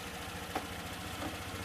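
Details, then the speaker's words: Honda PCX scooter after battery charged and blown fuse fixed: quiet, even low putter at idle with no knocks or rattles; running normally. "So, as you can probably hear the bike, well you might not be able to because my bike is quiet."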